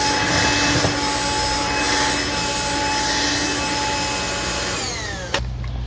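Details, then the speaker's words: Black & Decker Floor Buster SV3000, a 1990s cordless VersaPack stick vacuum with an isolated brush roll chamber, making passes in bare-floor and carpet modes. Steady high motor whine with a brush hiss winding down at the end; weak suction. "It's definitely a quirky little machine, but pickup-wise, I'm not too impressed."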